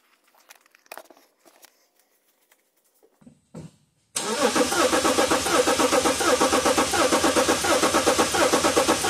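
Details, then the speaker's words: Diesel cranking without starting (2010 BMW 335d M57 misfire case); rhythmic chug with inconsistent crank cadence, missing compression hump on scope: one cylinder has no compression. "not sure if you picked it up ably but it had a inconsistent crank Cadence sound and we can clearly see it here that we've got a missing hump"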